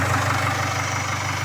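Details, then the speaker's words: 2016 Jaguar F-Pace 2.0 diesel 204DTD (Ingenium), first start after a new timing chain kit for fault P0341-92 (camshaft position sensor): even, steady idle with a smooth low rumble, no knock or rattle. "So I'll fire it up and see what it sounds like. Sounds all right."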